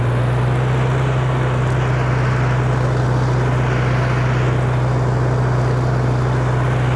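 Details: 1948 Farmall Cub tractor in reverse: steady, even low drone with a constant pitch and no whine, clunks or grinding; reverse gear runs smoothly, unlike second gear, which ticks.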